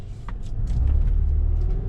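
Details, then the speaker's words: 2010 VW Eos 2.0L, hard to start, black smoke, fuel smell: heavy, lumpy low rumble at idle with an uneven pulse, engine shaking, check engine light flashing; misfire, leaking injector suspected, possibly a holed piston, unconfirmed. "should definitely miss firing you can see the check engine light flashing let's see turn off the radio that's what it feels like I'm shaking like a leaf"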